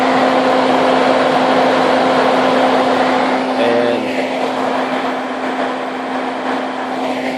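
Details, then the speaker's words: Budget electric cooling fan on a 2000 Jeep Wrangler 4.0, wired to run even with the vehicle off, kicking on: a loud, steady whir with one constant tone and no wobble or rubbing. Normal operation. "there it is kicked on now you can really hear just out loud"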